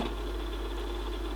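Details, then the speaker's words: Pioneer CT-300 cassette deck being tested before repair of faulty record: steady low motor hum and even reel whirr ending in a click; rewind and fast forward work normally, mechanically running. "got rewind fast forward so we mechanically seem to be running"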